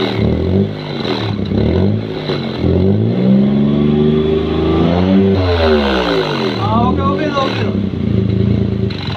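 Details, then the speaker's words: Maruti Suzuki 800 revved twice, heard from under the car at the silencer: raspy chuffing puff over the exhaust note from a cracked silencer with carbon deposits and rust; exhaust leak from cracked silencer. "സൈലൻസറിൻ്റെ ഈ ഭാഗത്ത് നിന്ന് ഒരു sound വ്യത്യാസം നമുക്ക് കേൾക്കാനായിട്ട് സാധിക്കും. ഇവിടെ carbon അടിച്ച് ഇരിപ്പുണ്ട്, അതുപോലെ തന്നെ ഇവിടെയും പൊട്ടലുണ്ട്."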